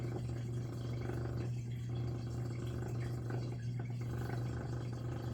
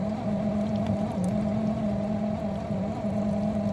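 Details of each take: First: Miele G6625 dishwasher, bought April 2018 (about 7.5 years), owner hears loud grinding from circulation pump motor at bottom, filter and non-return valve clear: steady low hum with water sloshing, no grinding or rattling; drain pump working normally. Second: Miele G6625 dishwasher bought April 2018 (about 7.5 years old), filled with water: loud grinding from the circulation pump motor at the bottom of the unit, a steady hum with a gritty drone. Filter, spray arms and non-return valve checked clear; drains and fills fine. Owner suspects debris in pump or worn motor bearings.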